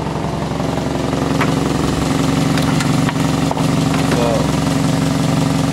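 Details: 1991 Toyota Carina II after fitting a repaired alternator, warning lights out, charging checked: steady, even idle with a smooth low hum and no knocks, misses or belt squeal; engine runs healthy.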